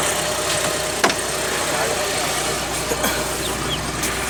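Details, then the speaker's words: Suzuki Mehran Euro that wouldn't start for lack of petrol, after fuel pump repair: engine catches and settles into a steady, even idle with no knocks or misses; normal idle. "ठीक है दोस्तों, मैंने अब इसकी सली की टोटल ठीक है। बेहतरीन अब काम दे रही है। ये देखें, अब कोई मिस्टेक नहीं है इसके अंदर।"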